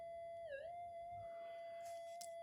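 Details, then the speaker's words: Minelab GPX5000 metal detector with loss of depth: a steady whistle dips and wobbles when connections near the 4053 and mylar capacitor are touched. An op amp that should be idle still passes signal, acting like mono mode with greatly reduced response. "it's still reacting on that opamp that should not be doing anything and the other one is about the same so it's it's acting like it's in mono mode but greatly reduced um um response"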